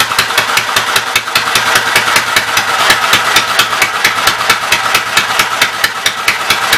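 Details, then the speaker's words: Westchester engine, just revived after the starter-generator and belt were refitted, still running on about 3/4 choke: rough, uneven running with a ragged clatter. It is smoking and burning oil from a worn top end, and the owner wants to overhaul a spare cylinder. "The fact it's still running with about 3/4 choke tells me I still got some issues. Not surprised it's smoking."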